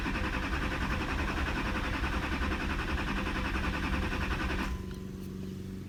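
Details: 2008 Chevrolet Duramax LMM diesel, 224k miles, after shop replaced oil pump, water pump, fuel filter and housing, then sat almost a year: starter churns about three and a half turns a second but never fires; crank no start, cause unknown.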